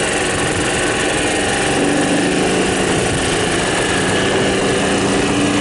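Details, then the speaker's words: 1993 Club Car golf cart engine with the governor still fitted, new starter, a much-redone carburetor and a small garden-tractor battery: high, even buzzing drone at wide-open throttle, held at one steady pitch by the governor; runs cleanly. "So that's wide open. This thing still has the governor on it."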